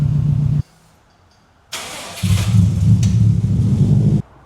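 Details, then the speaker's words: 2003 Subaru WRX, bought broken: a brief crank, then it catches first try and settles into a steady, even idle with no misses or knocks; the engine starts and runs perfectly. "So, motor's all sorted. Uh, starts first click, runs perfect. No issues on that front."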